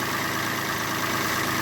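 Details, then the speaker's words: Citroen C1 small petrol engine started after an oil, oil filter and spark plug service, checking for leaks: short, steady idle with even texture, no tapping or stumble, sounding much better than before the service. "Okay, start it. Alright, that sounds much better."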